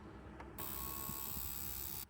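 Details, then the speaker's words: Mid-1990s Pontiac Firebird with cylinder 5 misfire, known-good injector 3 reading 12.2 ohms (within spec), pulsed by tester: crisp rapid buzzing click for about one and a half seconds; injector working normally. "all right so we can clearly hear the injector working now"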